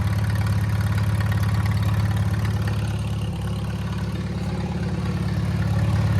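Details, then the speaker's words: Old Farmall tractor after service, jump-started with an uncharged battery: even low thumping about three beats a second, steady idle, no misses; running much better than before, owner suspects worn spark plugs caused the earlier dying. "She's running a lot better than last time too. I bet you it was them spark plugs, because they look like crap."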